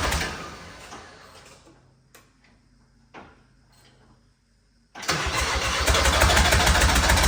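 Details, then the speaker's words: Diesel engine freshly fitted and bled in a cheap recovery truck cranks and fires into a loud rhythmic helicopter-like chop, about 3.5 beats a second; injectors refitted with new seals were found damaged, causing injector knock. "we've discovered that a couple of the injectors that were in this engine when it ran right that we took out did the injector seals put them back in that must have killed them that's why it sounded like a helicopter"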